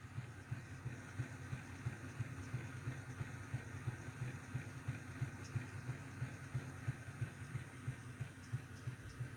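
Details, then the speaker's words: Golden Valley Hobbies Janus 0-6-0DE model shunter, new and not run in, running in the other direction: soft regular thud about three per second over quiet motor hum, less than the first direction; slight drive thump, cause unclear. "See, it's not thudding as much, but yeah. There's a slight thudding to it."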